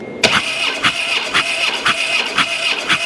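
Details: 2006 Harley-Davidson Dyna Wide Glide with a check engine light on and a weak battery with few cranking amps, spark plugs reinstalled: the starter cranks steadily at about two turns per second but the engine never fires. Owner suspects ignition or timing trouble.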